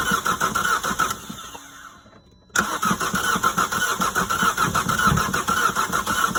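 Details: Vauxhall/Opel Astra H Z17DTH diesel that won't start: the starter cranks in steady pulses, pauses, then cranks again, but the engine never fires. The starter is suspected, not confirmed.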